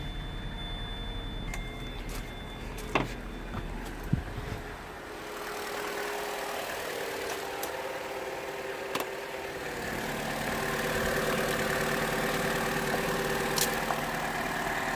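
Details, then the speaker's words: 2011 Vauxhall Corsa D 1.4 petrol, brought in idling very poorly and cutting out with code P0223, started on a low battery: fires and settles into a steady, even idle with no misses; runs cleanly, though another warning light is flashing. "running perfect oh we have another light flashing now what is this"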